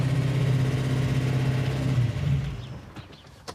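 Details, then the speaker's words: Hemi-swapped Gremlin V8 holds a steady fast idle of about 2,000 rpm that never drops back; it has no throttle return spring and a massive vacuum leak, plus a lifter that clatters when hot; high idle from vacuum leak. "Okay, well, we've already got a bummer. It's idling at 2,000 RPM. It's got no throttle return spring, massive vacuum leak,"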